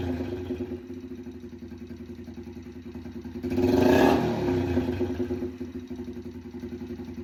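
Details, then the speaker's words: Yamaha TTR 90 just after top-end rebuild with new piston rings, first minutes of running at idle with no exhaust fitted (straight pipe): small single loping about four pops a second, a quick rev blip, sharp popping; backfire from open exhaust. "Um, it's obviously backfiring because there's no um exhaust in there. It's just basically a straight pi"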